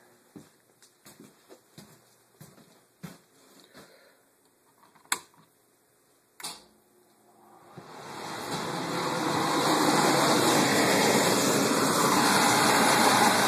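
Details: Furnace blower after replacing melted start capacitor and securing wires away from motor; a few clicks, then blower spins up smoothly over two seconds into a steady airy whoosh with light hum; normal blower operation.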